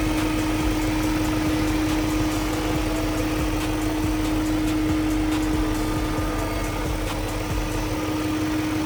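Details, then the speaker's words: BMW E38 7-Series that earlier had bad timing chain guides, hood up, service engine light on: smooth, even idle with a steady mid-pitched hum and no chain rattle or ticking, much quieter than before. "Definitely sounds a lot quieter."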